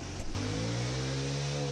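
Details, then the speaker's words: Chinese GY6 150cc scooter abandoned outside for years: short stumble, then catches and settles into a steady low drone with a smooth, even pulse; running properly. "This one still wants to go after being abandoned outside for years."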